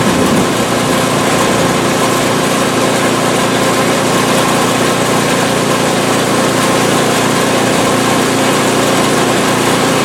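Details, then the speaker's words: PowerSmart 24" snowblower small engine, ninth season, running after first start of winter, about 50°F outside; holds a steady, even roar with no misses or knocks; smooth, healthy running. "it was almost like a warm start or a hot start rather on the bluid almost no cranking at all fired right up beautiful"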